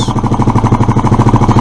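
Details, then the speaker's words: Suzuki Address scooter, after unblocking fuel valve, running without air filter: fast even putter around twelve beats a second, no misses; idle probably set a little too high, cause suspected, not confirmed. "I've probably got the idle set a little too high but unless you put an electronic attacker graph on the HT wires you can't tell"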